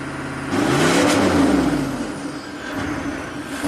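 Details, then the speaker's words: 1995 Chevy K3500 6.5 turbo diesel, hard-starting with throttle control fault despite new accelerator pedal and pump driver module: after a throttle blip it surges and hangs at 2,000 RPM versus 844 desired idle, wandering; cause unknown. "2,000 RPM. And keep in mind, desired idle is 844. We're at 2,000."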